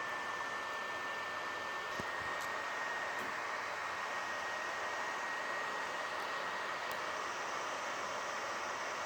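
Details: PS4 Slim console: steady airy rush with a thin high whistle, constant throughout; loud cooling fan, probably dusty.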